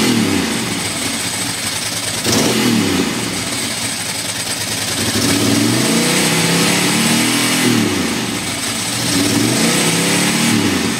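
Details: Ducati Monster M900 Sie V-twin, really that loud: throttle blips sound ragged, with stumbles and uneven firing as revs rise and fall. Engine misfire that seems to happen when cold or wet; owner plans to check the headlight wiring loom.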